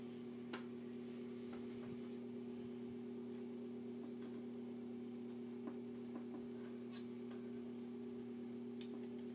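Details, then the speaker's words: 42-inch Hampton Bay Littleton ceiling fan at low speed with light kit globe installed: steady low hum with irregular ticks and rattles from a loose light kit screw buzzing badly; no buzz without the globe on. "yes the screw i like it is buzzing around real bad i never had this problem without the with the with the globe on"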